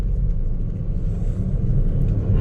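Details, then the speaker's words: 2017 Hyundai Accent after misfire repair; deep steady rumble under way, no stumbles or surges, misfire counts zero on all cylinders; normal running. "Ang ganda na ng hatak niya makakabyahe ka niya ito boss ng tuloy-tuloy"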